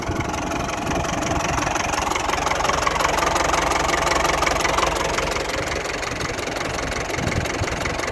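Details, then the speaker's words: Ford 6610 Force II tractor diesel after fuelling problems fixed: steady even idle beat around 150 a minute, no stumbling; idle miss seems gone; normal idle. "She's running a damn sight better. I think that mist has gone out of her when it's idling, so happy days."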